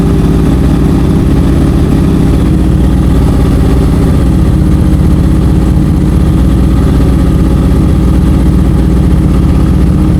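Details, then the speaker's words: Honda CBR650F (CB converted with CBR front), four-cylinder, customer reports stumbling while riding; at idle the rhythm is lumpy with a dropped beat; cylinder 4 not firing, spark plug or ignition coil to be checked. "สูบที่มีปัญหาก็คือสูบที่4นะครับไม่มีการระเบิดนะสูตรที่4นะสูบที่4ไม่มีการจุนระเบิดนะฮะ"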